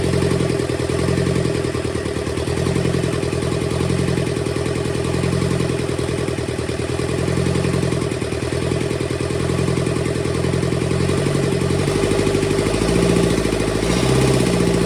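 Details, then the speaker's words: Rebuilt burnt, seized Kubota V2203 diesel from a Bobcat 7753 skid steer starting: rough clattery run settling steady with an uneven pulse; injector leaks, injection pump top needs resealing, valves still need adjusting. "we have life do have a couple leaks at these injectors I got to take care of"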